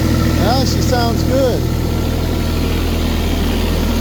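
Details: Diesel tractor idling in winter after gelled, water-contaminated fuel caused a stall; anti-gel added and fuel system bled repeatedly. Steady, even low throb with no stumbling or misfire, so the engine is running cleanly.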